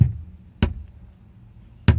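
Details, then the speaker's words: Van head unit ("pumpkin") tested with van speakers disconnected and a separate speaker connected; only dull popping thumps, no audio, while speakers and another stereo work fine, so the unit itself is faulty. "I tried it on a different stereo, plug it back, all back into the pumpkin, nothing, just that noise from the speakers. Okay, hope that helps. I think that demonstrates that there's something wrong with the unit."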